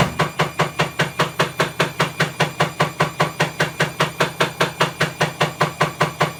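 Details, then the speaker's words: Bosch WAE24366 washing machine, also tripping the circuit breaker: loud, very regular knocking about two and a half times a second during spin-up, well below full speed, from a broken drum spider arm. "element but if you hear that clicking that's the broken spider it's pretty loud there's nowhere near full speed yet"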